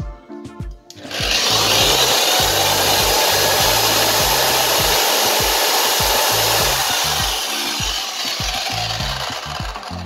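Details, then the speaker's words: Zenit ZTS-1800 1800 W electric garden trimmer, test run after repair: steady high whirr at one even speed, spins freely and runs normally. It had hummed but wouldn't turn; armature front support and bearing (6x10) replaced. "тестировать уже принципе электродвигатель собран вращается легко можно продолжать дальнейшую сборку"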